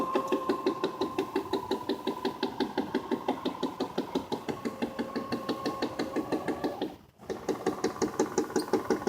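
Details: Tailgater portable satellite antenna failing to lock onto satellites: steady rapid knocking about three a second over small motor hum; blue azimuth potentiometer had jumped its limit switch, azimuth motor found loose with its two screws loose.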